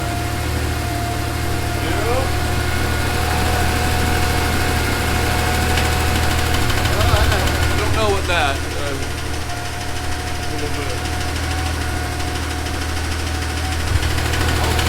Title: Linda Rhonstadt's 911 with rod knock